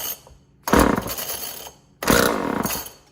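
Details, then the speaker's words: Old Homelite chainsaw being revived: two short bursts of rough firing on the pull, each dying after about a second, so it catches but won't keep running; cause suspected, not confirmed. "Son of a bitch. The damn thing even tried to go. Well, guess let's get that changed. It even tried to go."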